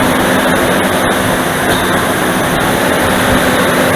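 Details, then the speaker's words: Dodge Dakota V8 cold start, engine fully cooled (about 15°C indoors, -1°C outside), original viscous fan clutch before electric-fan swap: constant jet-like rushing roar drowns the engine; fan clutch nearly locked, fan spinning flat out. "방금 들으셨던 소리가 지금 냉간시에 시동을 걸었을 때 횡클러치 소음이에요. 순수하게 횡클러치 소음밖에 안 들립니다."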